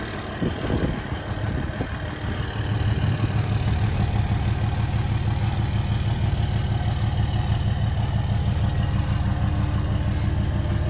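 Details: Replacement short block in a 2003 Cummins 5.9 diesel, a 3500 single-cab dually 6-speed run out of oil, freshly test-fired: steady, even clatter at idle, about three beats a second, no misses or knocks; healthy idle.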